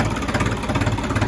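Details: New Holland TT 3.50 diesel tractor after fixing stumbling caused by dirty fuel clogging the diesel tap, tap replaced: steady, even chug with smooth low beat and no stumbles; runs normally.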